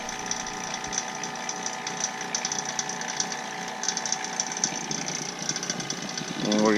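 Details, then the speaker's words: Vacuum pump evacuating 2003 Mini Cooper AC system after compressor and drier replacement, flush and PAG 46 oil: steady constant-pitch electric buzz, no surging or knocking, gauges dropping below zero; running normally. "so next step is to turn the vacuum pump on and when we open them it goes back in [Applause] so they go below zero"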